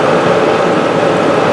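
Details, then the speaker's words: Kenmore electric dryer after new motor installation, first plug-in test: steady even hum and drum rush with no knocking, scraping or squeal, heat confirmed; motor and drum running normally. "running. Yep, shut it. We're good. We got heat."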